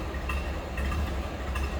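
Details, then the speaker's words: 1930 Ford Model A 5-window coupe, started without choke and barely warmed up: very low, quiet idle heard faintly from behind the car, a soft steady rumble with a slow even beat; healthy. "This one has a very low, quiet idle. Slip around to the back. You may not be able to hear this run very well."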